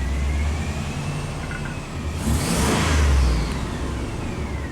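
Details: 2002 Chevy 2500HD after a newer-style electronic throttle body retrofit for reduced power P1515, no codes present: engine catches cleanly, revs up smoothly and settles with an even note, no stumble or knock; runs healthy.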